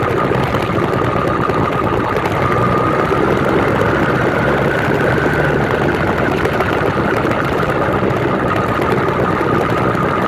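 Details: New 66/80cc Chinese two-stroke motorized bicycle engine on its third start, being broken in on 24:1 oil/gas and 91 octane. Fast steady idle with a thin whistle on top and no dips or stalls. Idle sounds fine.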